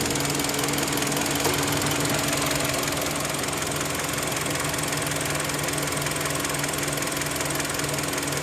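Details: 2010 Kia Rondo idling with a steady, fast light top-end ticking at about two to three per second. The owner believes the engine will fail soon; cause not pinned down.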